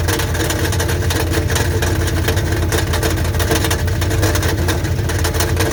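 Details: 1984 Dodge Ram Prospector 3/4-ton, 360 V8, automatic, with a newly reconditioned starter, idling with a loose, uneven metallic rattle. A stethoscope places it inside the oil pan; the starter will be checked first, then the pan dropped.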